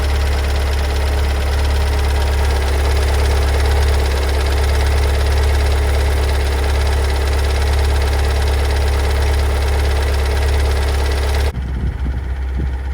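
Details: 2022 Kia Sorento MQ4 2.2 diesel cold start: loud idle with a steady low drone and a regular knock about four a second. Knocking persists a month after dealer service; dealer finds no fault codes and calls the engine fine. Cause unknown.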